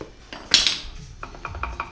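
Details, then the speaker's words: Ford 8.8 rear axle from an Explorer, shortened for a Colorado, during differential assembly: four or five light metallic clicks as the gears are rocked back and forth show normal ring-and-pinion backlash. "see that now you can hear and see the wiggle"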